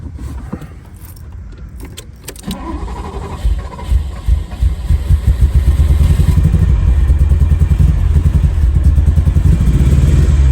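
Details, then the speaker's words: Abandoned Ferrari 308 unused for 15 years, new ECU fitted, wiring and fuel issue fixed, tested on old boards before installing new ones: steady rhythmic starter chugs with some throttle, engine never catches; hard starting, cause not yet found. "So this is with the old boards. Not even starting."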